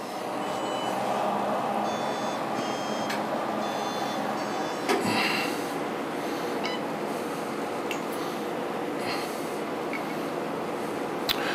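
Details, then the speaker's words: Lumenis UltraPulse Encore CO2 surgical laser switched on and self-calibrating for 45 seconds to a minute, checking it delivers adequate power: chirps and tones over a low hum, clicking, a couple of pops and a buzz; normal calibration sounds. "it's going to take about 45 seconds to a minute for the laser to calibrate itself you'll hear buzzing some clicking some chirping a couple pops and a buzz"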